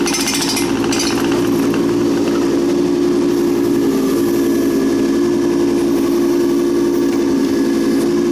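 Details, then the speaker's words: Tracked machine running at 2.1 km/h high speed in cold conditions: fast loose clatter about four knocks a second; owner suspects track wheels clanking off metal pieces in the tracks, everything else checked and tight. "So down underneath here, it's not going to do it when we got it up in the air, but I think these wheels are clanking off of these metal things in the tracks"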